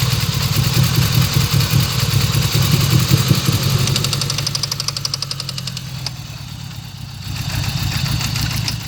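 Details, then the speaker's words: 1995 GSX at first start after sitting over a year, idling with an even sharp bottom-end knock from the back corner; owner suspects rod knock or spun rod bearings, unconfirmed. "Now from that, what I've heard of that sound, usually people that when it's consistent is rod knock. So I'm curious if that's what it is."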